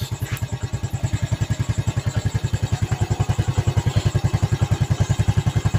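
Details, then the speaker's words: Yamaha Vega ZR after engine rebuild with piston and camshaft changes and replaced valve guide, warm engine; even steady putting beat around ten pulses a second, earlier smoke and ticking gone, no clatter; normal idle. "Yang tadinya ngebul dan agak sedikit punya etek-etek sekarang sudah hilang."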